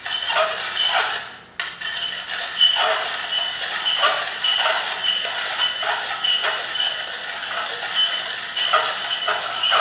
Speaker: So you'll hear when the bean amount inside gets lower, it will spin quicker and the pitch will become higher in the metal grinding sound, metal on metal.